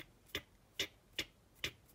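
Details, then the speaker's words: Bussman 550 thermal flasher relay for a 1962 Land Rover Series 2A 109 diesel's turn signals: sharp, crisp, evenly paced clicks a bit over two per second after a slight warm-up delay as the heated element cycles; normal relay clicking. "So when you click on your turn signal, when you click it on, it heats up a little piece of metal in here and it starts clicking."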